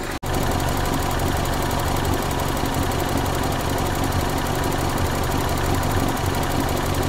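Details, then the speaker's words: 1994 Toyota Celica, single-coil ignition, intermittent weak spark on one cylinder: steady, even idle, no stumble; that cylinder now firing; suspected distributor cap moisture from earlier coolant leak. "There's that same cylinder now, not misfiring."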